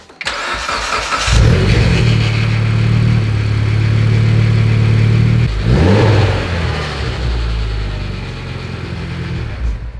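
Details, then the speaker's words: Mitsubishi Evo X engine at start and idle: cranks, catches, then a loose, clanky metallic rattle at a few beats per second; owner suspects a stretched timing chain but has not confirmed it, and a new OEM chain is ordered. "As you can hear, it's a little bit janky, it's a little bit clanky, and obviously driving the car, if it is the timing chain, which I don't even know if it is, I haven't really dug into it much, but if it's the timing chain, I definitely don't want to make it worse."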